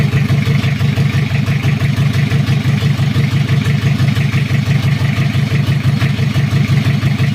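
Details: Toyota Kijang 2L diesel, cold, just after first start following an engine rebuild for oil burning, injection pump timing at the zero/standard mark: even idle clatter at about three beats a second, no misses or knocks. Normal idle; oil pressure reported normal.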